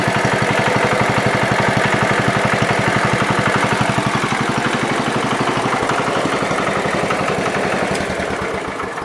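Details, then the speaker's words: John Deere 110 riding mower after electrical and carburetor work, plugged vent fixed: small single-cylinder engine chugging at steady, even beat about three per second with no misses or stumbles; runs healthy. "I done good with that carburetor. Nice. Very nice."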